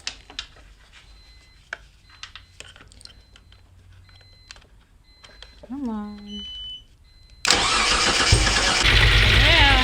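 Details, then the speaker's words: Mitsubishi 6G72 twin-turbo V6 after engine rebuild with rebuilt turbo: a few quiet clicks, then it catches and settles into a steady, even idle with no misses and no exhaust smoke; normal start and idle. "I'm very pleased got here at run for a little while and I have no smoke coming out the tail end which is the problem I've been chasing"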